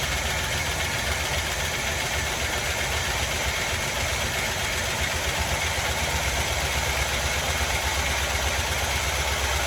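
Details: 1981 GMC Sierra half-ton 2WD truck, unknown condition, just restarted after valve cover work, possibly flooded and choked: a fast, busy metallic clatter of about four per second over a rough steady idle, quieting somewhat, consistent with valvetrain rattle; cause not confirmed.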